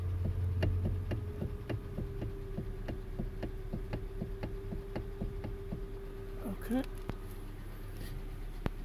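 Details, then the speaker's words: 2012 Hyundai Elantra, engine running: light sharp clicks about four times a second from the steering; suspected faulty steering column coupler, not confirmed. "let me fire up so you guys can hear swatch of the noise of the steering as you can hear"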